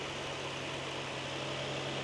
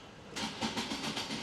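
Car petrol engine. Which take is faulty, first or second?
second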